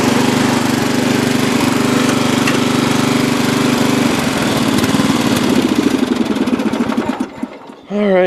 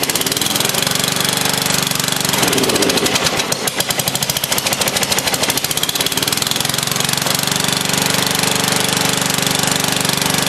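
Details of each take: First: Free old Lawn Chief (Murray) riding mower, reportedly used last year and needing a tune-up: single-cylinder thrums steadily, then slows and winds down to a stop; runs evenly with no obvious knock. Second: Old free Lawn Chief riding mower, first start on a dribble of gas with a makeshift battery hookup: engine chugs unevenly and lopes at about three beats a second; runs rough, owner thinks it needs fresh gas and a tune-up.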